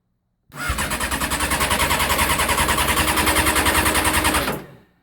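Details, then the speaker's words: Honda CBR600F4i after starter relay replacement: no lights or start with key; only with relay jumped do lights come on and starter cranks fast and even, about four seconds, no firing. Cause unknown. "can somebody please help me what the hell is this nothing but then when I jump my relay"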